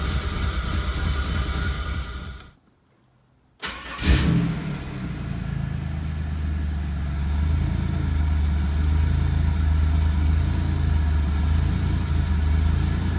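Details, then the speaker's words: 1996 Camaro RS, which had been idling rough especially at startup, right after a new PCV valve: a brief cutout, then a steady, even idle just above 1,000 rpm; it runs smooth and healthy. "So we're gonna see exactly what it sounds like. Maybe it fixed. Oh my gosh, it sounds so much better."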